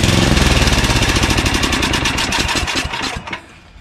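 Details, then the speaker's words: Craftsman 9 hp Tecumseh 29-inch snowblower after carburetor cleaning; single-cylinder pops along fast, then sags before picking up; surging, now less often, fuel delivery or bad gas suspected. "it's better it is definitely better it surges less often and i could take this thing down to almost half its speed and didn't stall until i took it lower than that so it is better for sure"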